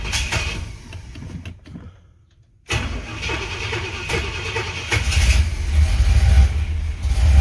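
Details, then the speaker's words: 1968 Pontiac Ventura after replacing most of the worn factory exhaust with a Thrush turbo muffler and new pipes, heard at the rear: engine catches and settles into a deep, even burble with clean throttle blips, no rasps or pops; one small leak suspected. Healthy exhaust. "That sounds pretty good. It's nice actually hearing exhaust back here."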